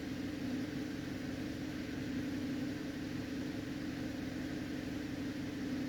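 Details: 2011 Cadillac CTS that had a misfire and code P0523, idling at about 900 RPM after the cold high idle, with codes cleared and long-term fuel trims improving from -32 to -8 and -14. Quiet, even hum with no stumbles; smooth, healthy.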